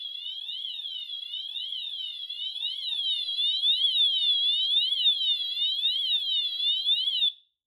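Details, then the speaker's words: Notifier NFS-320C releasing panel demo, cross-zone system after smoke and heat detectors alarm and pre-discharge countdown reaches 0: Wheelock AMT sounds a continuous high siren sweeping up and down, signalling agent discharge. "ts 0, the AMT will sound its siren tone continuously, and the panel will indicate a discharge."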